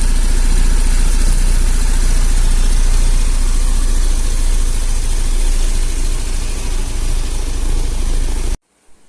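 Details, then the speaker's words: 2013 Honda Beat scooter started by newly installed keyless remote, side-stand starter cut-off bypassed: small single settles into a steady, even, low smooth idle until switched off; healthy. "Oke, lanjut lagi ya kak. Ini motor sudah hidup ya dengan remote."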